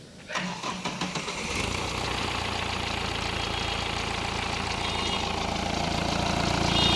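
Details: Vehicle with blinking check engine light, a crank-no-start and fuel pump related fault codes, starting after diagnosis and repair with the light now off: about a second of rhythmic cranking, then a clean catch into a steady, even idle. Normal start and idle.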